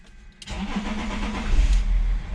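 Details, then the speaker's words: BMW 730d diesel after the fuel circuit was fully de-primed, then the tank pump was heard priming at ignition-on; short crank, catches at once, steady even idle; stalling was traced to the pump, not the ECU; normal start. "mais à chaque fois je mets le contact on entend vraiment quoi et là du coup ça fonctionne"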